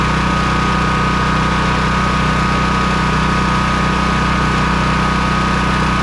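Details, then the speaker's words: Honda EB3800X generator with 8 hp GX240 engine, new carburetor fitted after won't-run-off-choke fault, governor briefly stuck then freed; smooth steady governed hum, no surging, slowed to about 125 volts at that rpm, near 60 Hz, unloaded; normal idle. "I slowed it down quite a bit to be at about 125 volts at that RPM. As soon as it gets under a load, it will change some."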